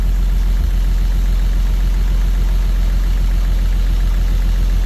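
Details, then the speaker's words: 1934 Chevy 4-door sport sedan barn find, first start in 23 years. Low, steady, even idle with no knocks or misses, though a slight lifter tap is possibly suspected. Normal idle. "thought should rev it to the moon huh make sure the be are good wow that thing runs fantastic I can't believe how good that thing runs listen to that thing that's unbelievable unreal guys unreal"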